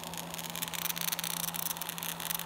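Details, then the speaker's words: Electric roller vane fuel pump for a waste oil burner cranked to full power on a speed controller, drawing 13 amps: steady low motor hum under a harsh, crackling hiss as it labors; pump straining at full power. "I'm going to go ahead and crank it up here full power and see what it will do sure hates that it's 13 amps and it sounds"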